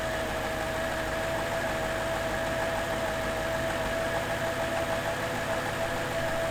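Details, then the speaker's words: Mercedes C55 AMG, M113 5.4 V8, after replacing six of 24 lifters for lifter tick: smooth, even idle with a steady hum and no clear valvetrain ticking, only a faint leftover noise; much quieter, piston ruled out, normal idle. "now it's been even more days later and the car is running so much better it's so much quieter there's still a little bit of noise and keep in mind i only changed six out of the total 24 in the entire system but it is way improved and it sounds way better"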